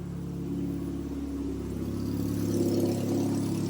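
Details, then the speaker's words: Turbo 1.6 Miata with NB6 intake manifold, Skunk2 throttle body and -6AN fuel lines, after adjusting the throttle body idle screw: engine now idles on its own, smooth steady even low hum, no stumbling; normal idle. "I adjusted The Idler screw for the skunk Inlet let's see if it works any better today well it's idling on its own"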